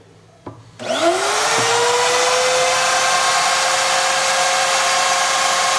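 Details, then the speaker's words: 2005 Hoffmann MU2 dovetail key machine, low use, single-phase 110 V, run for an extended period to show the bearings. Spins up fast to a steady, smooth high whirr with no rumble or grind: runs as new, normal. "I'm going to run it for an extended period now so you can hear the bearings they're just it pretty much runs as new"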